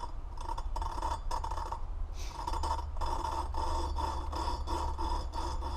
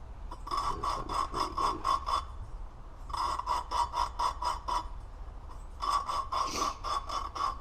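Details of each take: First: Honda 400EX cylinder head, new valve being lapped by hand with a rubber hose: rhythmic gritty rasping strokes, about two a second, starting to smooth out; the valve and seat are not yet mated, and lapping continues for proper compression. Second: Honda 400EX new valve being lapped into its seat by hand with a hose: quick back-and-forth rasping strokes, gritty grinding turning smoother as the valve seats in.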